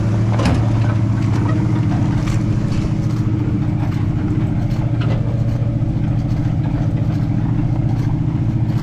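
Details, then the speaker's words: 1968 Ford F-series pickup (F250 or F150) with a Ford 360 FE V8, after tuning and finishing the headers, exhaust and ignition: a steady, even low rumble with a smooth firing beat and no knocks or misses; it runs much better now. "oh it sounds good y'all"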